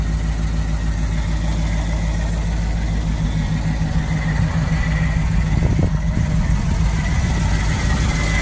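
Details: 1938/1939 Ford 2-door hot rod project, flathead V8, just started after years in inside storage, warming up: soft even low burble at steady idle, no misses or knocks; normal idle.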